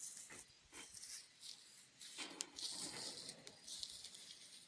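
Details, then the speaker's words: Shovelhead cam chest opened: bearing the cam part slides into, with slight play, spun by hand gives faint dry rasping in short bursts, sounding gritty and rough. Gritty bearing, suspected not confirmed. "It's got a little bit of play. Doesn't feel very good, really. Almost sounds gritty."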